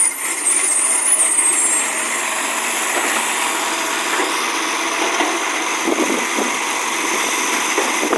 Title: Early recycling with a roaring 1JF (Exhaust Leak)